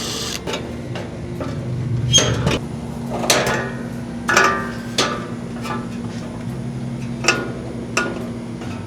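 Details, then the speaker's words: Old Rheem-style AC condenser, loud at night, capacitor-less original fan motor: low hum with irregular clicks and clatter from the fan, motor slipping on the blade; compressor sounds good, fan motor shot and replaced. "So, it's definitely coming from the fan. It sounds like the motor's slipping on the blade."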